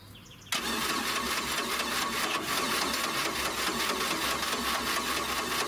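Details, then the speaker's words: 1986 Four Winns 170 Horizon with 3.0L Mercruiser, first start after winterization, carb pumped, fuel pressure possibly not built up; starter spins in steady even beats over five seconds without catching; extended cranking, slow to start. "I can actually hear the carb squirting some gas. I don't know how much is in there, because I may need to crank it to build up some fuel pressure, but we'll see how it goes."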